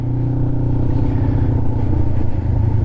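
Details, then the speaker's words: Kawasaki Ninja 500R under acceleration while riding: a smooth, even engine note pulling cleanly through the revs with no knocks or rattles. Healthy-sounding bike running normally. "so that just sounds so good such a healthy bike such a healthy sounding bike"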